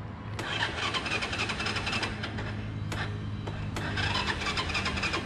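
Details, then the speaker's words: Motorbike that has died, kick-started with the ignition on: the engine spins with a steady cranking rhythm but never fires or picks up. "Mở khóa lên thì Hiếu đạp mấy phát xem nào. Không ăn thua anh em ạ."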